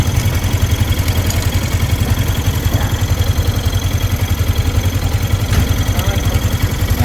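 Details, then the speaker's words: Yamaha Sniper 155 after the manual cam chain tensioner is fitted and tightened. Steady, even idle thump, about 160 beats a minute, low and smooth with no rattle or tick; a normal idle. "So, mahigpit na siya. Thread natin. Wala na. Tahimik na ulit."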